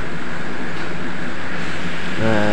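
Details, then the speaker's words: Yamaha Mio Soul GT idling just after a double-starter repair: a loud, rough rattling from the CVT side. A stuck kickstarter pinion is suspected, not confirmed. "setelah hidup motornya ini malah bunyinya berisik nih di bagian CPT ya"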